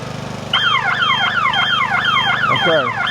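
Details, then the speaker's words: Nifty TM34T 34' towable man lift, at start of basket operation; loud sweeping warble siren over engine drone, about three falling sweeps a second, interlock alarm because one outrigger lacked enough pressure on the ground. "that sound right there is going to be that something is not ready for it to work. Whether it be one of the outriggers that's still up off the ground, doesn't have enough pressure on it."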